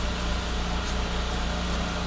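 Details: Renault Logan (second phase), 1.6 engine, manual gearbox, 222,000 km, after clutch, clutch cable, hub bearing, shifter and suspension repairs: low, steady, even engine hum with no knocks or rattles. Normal idle.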